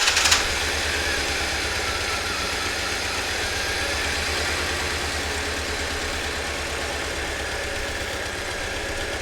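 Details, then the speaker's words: 1997 Jeep Wrangler crate engine first start after starter install: brief start burst then steady, even idle with quiet top end, no ticking, indicating oil pressure; healthy normal idle. "Well, it would be loud if in the top end if we didn't have oil pressure. So, we it's quiet. So, that means we got oil pressure for sure."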